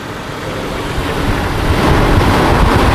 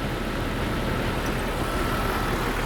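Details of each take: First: Jeep after spark plugs gapped to 0.035 in, previously misfiring; engine cranks, swells up and settles into an even, steady idle with no stumble or skip. Spark and firing lines now look good; normal idle. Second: Jeep engine at idle with a rough, uneven low rumble, a misfire that started about a month ago, first on startup only; the secondary ignition waveform on a scope shows the misfire.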